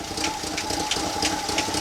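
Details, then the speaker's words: 1965 Chevy C10 283 small-block V8: quick light tapping about three a second over a steady idle. Fuel pump first suspected but judged fine; a lifter/pushrod valvetrain tick suspected, not confirmed. "I hear clicking Dakota I do here tapping as"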